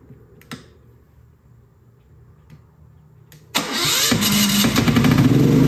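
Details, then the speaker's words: Genmax GM9000iED generator after a spark plug change and shaking to get fuel flowing: a few faint clicks, then it fires at once and runs steady and even, restarting repeatedly with no misfire; running normally. "no misfiring no problem at all stay on no problem at all"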